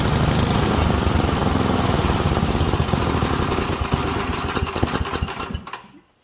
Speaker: all right that was a lean condition so your key characteristics of a lean condition you can hear it was popping sputtering did not want to rev up